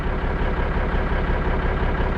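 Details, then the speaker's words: Kenworth Aerodyne K100E VIT with a Cummins diesel, after a decade of neglect, warmed up with ATF added to the fuel filter: heavy, even idle clatter with no skips and no missing now; the owner thinks it may still need injectors. "I don't know, it almost sounds smoother. You think it sounds smoother? I don't know, I don't hear it missing now at idle."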